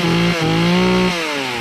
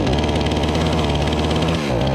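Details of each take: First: Remington RM4620 chainsaw cutting after the bogging fix (cleaning, fresh fuel, cleaned air filter, spark arrestor removed); it holds a high steady buzz under load that eases only slightly, with no bogging. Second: Remington RM4620 chainsaw on freshly mixed fuel: runs but sags and drops pitch each time the throttle opens, never reaching full revs; bogging.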